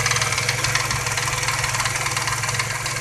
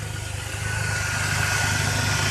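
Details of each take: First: Truck with a light uneven tick about four per second over steady idle, half an hour after adding Marvel Mystery Oil; a friend suspects the lifters, and a slight tapping remains; cause not confirmed. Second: Truck with lifter tapping, after one week of Marvel Mystery Oil (169 miles) and fresh oil and filter: smooth even idle, steady low rumble, no top-end ticking, quieter than before; normal idle.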